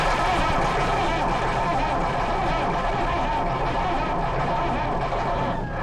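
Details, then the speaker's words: Lansing Bagnall Model A tug with Perkins P4 diesel, long unused, poor condition but has compression, cold start: steady cranking churn about four beats a second with ragged firing catches and bumps and squeaks, not picking up; suspected lack of heat. "she's trying guys she's trying there's lots of bumps and squeaks coming out of her"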